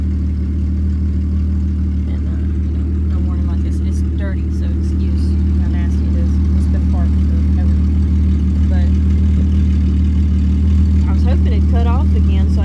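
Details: 1996 Jeep Grand Cherokee idling after a start; low, uneven idle with a slightly lumpy beat about three times a second, skipping as if about to cut out. Owner suspects an electrical issue causing stalls; rough idle, cause undetermined.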